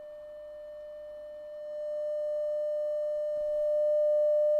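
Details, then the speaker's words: Telefunken Operette 8 tube radio under restoration, 600 Hz 100 mV signal into pickup input, speaker connected: pure steady tone with no hum or distortion; amplifier and pickup input working. "that's pretty good alright I'm not going to take it to clipping anything like that with the speaker on"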